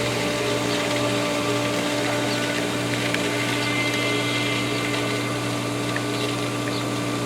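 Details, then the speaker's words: Smaller pool pump running with the system emptied of water and full of air after both pumps start: steady motor hum with a faint uneven wash underneath as air pushes through before water returns; airlocked. "this pump is going to be airlocked the smaller one here it makes the most awesome sound when it gets out of airlock and starts pumping the ground Shakes You Feel It"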